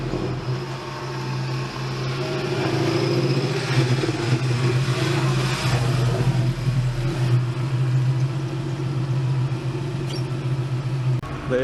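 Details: 1999 Toyota Tacoma after installing a Walbro 190 LPH fuel pump, with 440cc injectors, idle air-fuel about 14.6–14.8: steady, even low rumble with a smooth idle, no misses or knocks; healthy.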